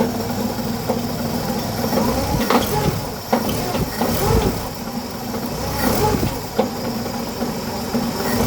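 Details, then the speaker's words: 1963 Pontiac idling in park before repair: rough idle with loud, irregular heavy clunks about every second, sounding like a broken crank; cause is a cracked flex plate, to be replaced with new bolts and Loctite. "It sounds so bad. When the buyer shows up to grab this car, he is not going to want it with the engine sounding like that. He's going to think that the crank's broken or something. I know it's just the flex plate."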